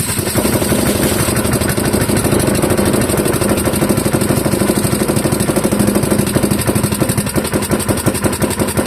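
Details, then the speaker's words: Clinton model 3100 small single-cylinder engine on half choke: popping at a fast, slightly uneven beat and staying running while penetrating oil smokes off the exhaust; carburetor suspected to need cleaning, condition unclear. "Well, I I got it to stay running on half choke. That's a good sign. We got all the um penetrating oil smoking off of the uh the exhaust."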